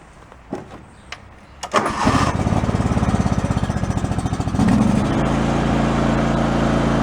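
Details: Yard-sale John Deere riding mower just after installing a new fuel pump to fix carburetor overflow/flooding: engine coughs, catches after a couple of seconds, settles into a steady even chug with no stumbling; problem fixed, no recurrence since.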